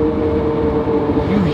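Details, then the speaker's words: Chevy Camaro SS SLP, manual, driven after 6 months sitting: harsh steady grinding growl from the rear when letting off, also with clutch disengaged; owner suspected throwout bearing or differential, after it stuck in gear; failed differential pinion bearing. "that nasty grinding sound I think it's a throwout bearing I'm not really sure but it's definitely something within a clutch or differential kind of like a grinding and then when I disengage the clutch it also does it as well"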